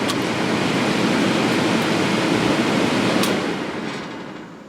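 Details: Early-1960s Philco Noiseless window air conditioner, rewired, fan switched to high: strong even rush of air with no rattle, scrape or hum, swelling then fading; fan running healthy.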